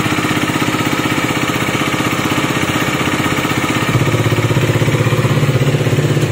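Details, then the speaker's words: KTM Duke 250 BS6 single-cylinder, idling after engine repair for loud engine noise, silencer blocked to hear the engine; even, regular thump with no top-end ticking or rattle, the earlier noise now gone: normal idle. "तो आपने देखा जो इसमें पहले sound आ रही थी मैंने अभी आपको वीडियो में सुनाई थी तो वो साउंड बिल्कुल बंद हो चुकी है और गाड़ी बिल्कुल ओके हो चुकी है।"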